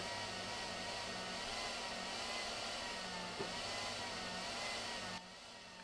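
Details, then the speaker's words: DaranEner NEO 2000 power station charging on solar: soft airy fan rush like a distant leaf blower, low hum pulsing and cycling; quiet, about 43 dB; normal fan cycling. "It actually sounds a little bit like somebody running a leaf blower in the distance. It's not loud, but you can hear it kind of pulsing and cycling."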